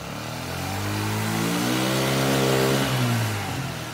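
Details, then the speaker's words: Chinese 50cc Geely scooter revived after sitting, with the carburetor repositioned because it wasn't sealed on the intake boot. Crisp two-stroke buzz climbs smoothly to high revs and drops back evenly, with no misfire or bogging; healthy. "revving up to the RPMs to put the air filter on it and we'll see how she runs"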